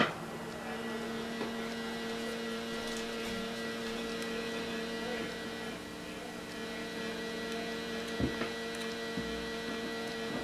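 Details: Sony Walkman WM-F69 during restoration, after replacing surface-mount components, only partly repaired: steady low mains-type buzzing hum with almost no music coming through, one channel not working; cause not confirmed.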